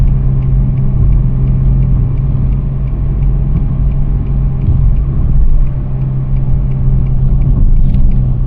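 A steady low drone holds under the road rumble at cruising speed; an unexplained hum while driving, source not identified.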